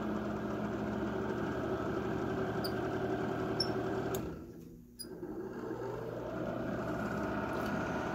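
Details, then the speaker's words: Vintage Arvin radiant heater, long unused and dirty, before cleaning, run below high: steady fan motor hum with a light tick about 220 a minute and brief speed dip; fan rough but improving, motor sparking from dirt. "can hear the Fan's getting better now"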